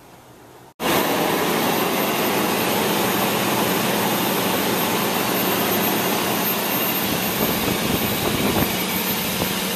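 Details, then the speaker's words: Toyota Tundra, first start right after timing belt replacement: engine catches and settles into a steady, even V8 hum with no knocks or stumbles; normal, healthy idle. "That's it, folks. Timing belt in, motor's running perfect, good for another 100,000 miles."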